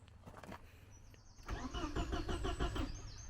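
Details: Porsche 924: starter cranks at steady, slightly uneven beat about three per second, never catches; no voltage found at fuel pump with ignition on, electrical fault suspected.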